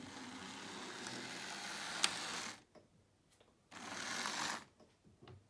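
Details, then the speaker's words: Lima Class 37 O gauge model diesel locomotive under slow power: small motor whines steadily, cuts out abruptly for about a second, returns, cuts again; intermittent power loss, owner suspects the pickup points. "got a cutting out problem I think maybe is it my point probably just my points"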